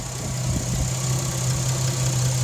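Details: 2004 Jeep Liberty 3.7L V6 4x4, about 67k miles, warmed up with temperature gauge just below middle, after replacing water pump, tensioner/idler pulley, thermostat and serpentine belt; smooth even idle, steady low drone, no knocks, ticks or whine.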